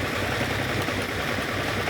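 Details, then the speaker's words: Lamborghini, the 6th ever produced, idling while plug leads are pulled one by one: uneven, lumpy idle with a ragged beat, pulling one lead makes no difference and revs rise slightly; misfire, not all cylinders firing. "I'm now just going to pull each lead off in turn. Now, that is making no difference whatsoever. You can hear the engine notice slightly rising there."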